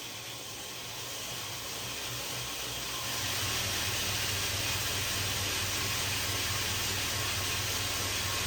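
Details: Newly assembled Blackfox 2x72 belt grinder on a VFD motor control, run in forward: steady even hiss and motor hum rising to speed, no knocks or rubbing; normal running.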